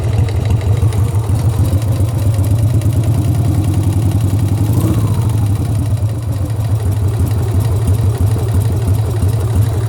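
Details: Harley-Davidson Sportster V-twin idling with a deep lumpy beat and a hard knock running through the firing pulses; engine knock.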